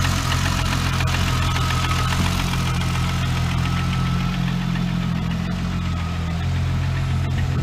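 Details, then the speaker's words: VW Corrado on its first start and drive after sitting 7 years: after cranking for a while it holds a steady, even idle with a smooth low hum and faint high whir, no misses or knocking. It sounds healthy, and the owner hopes the thermostat works. "she sounds healthy okay so hopefully my thermostat works"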